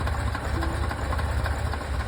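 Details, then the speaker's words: Warm carbureted car running rich and fouling plugs: low, slightly lumpy idle that drops when carb cleaner is sprayed near the carburettors, confirming an intake air leak around the carbs. "so we check it one more time car is idling we'll spray the carb cleaner where we suspect the air Le and there we go so we definitely have an air leak along there"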